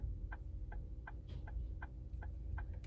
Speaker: En fait quand on entend ce bruit de clignotement plus rapide, c'est en fait souvent un problème de feu.